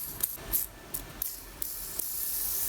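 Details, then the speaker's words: Riedell 120 quad skate wheel (Radar Energy 62 mm, Zenith Kwiki ABEC 9 bearings) after a year of skating, spun by hand. A dry, gritty hiss that dies quickly instead of coasting; stiff, dry bearing needing cleaning and oil. "Oh, listen to that. Sounds like it's been through the street. Yeah, they all need a bit of oil."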